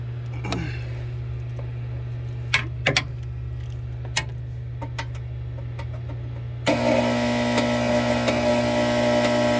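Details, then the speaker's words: 2015 Frymaster FPEL314CA 208 V three-phase electric fryer while cycling heat: a loud, steady mains buzz under clicks and fan noise. The heat contactor is stuck (button not returning) and needs replacing. "So I believe it's coming from the contactor. One of the coils is stuck."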